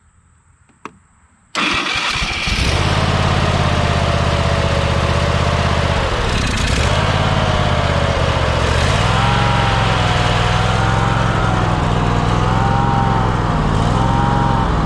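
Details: Kohler small engine that had sat for years, after welding the broken flywheel ring gear and replacing a flywheel magnet, gas poured in carb: silent, then catches and runs steadily, speed wandering gently, no knocks, misses or ring-gear rubbing.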